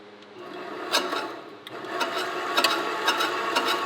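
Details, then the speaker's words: Wen benchtop metal-cutting bandsaw after adding guide wheels to stop the blade flying off: a faint irregular scraping rasp about twice a second under the motor hum, the blade rubbing on a guide wheel, expected to wear in. "I can hear it rubbing down there I don't think that matters because she's gonna wear itself in overtime"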